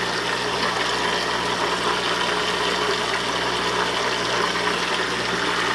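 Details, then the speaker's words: Hang-on-back aquarium filter being primed: constant low electric hum with watery gurgling and hiss as the pump strains to draw water up the intake tube; struggling to prime. "you hear that noise I think I can I think I can I think that's the pump starting to create suction from the water"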